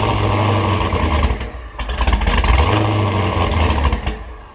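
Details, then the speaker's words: Dodge Charger Hellcat V8 with a Hellion twin-turbo kit, first start after the exhaust was completed and a flange changed: the engine catches, flares and settles into a deep, lumpy idle. The earlier ticking from exhaust leaks is gone; normal start and idle. "That was all exhaust leaks. But now, listen. You guys hear how quiet the motor is? Listen. Wow, you can hear the turbos more and everything."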